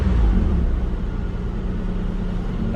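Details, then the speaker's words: 2003 Mitsubishi Eclipse GTS, rebuilt engine after fuel pump and filter replacement, dead cold: steady, even low rumble with no misses or knocks, idling slightly high because cold; runs smoothly. "you can hear how how smooth this thing runs after i rebuilt it but yeah now idling a little bit high right now just because it you know it's cold you know she's dead cold"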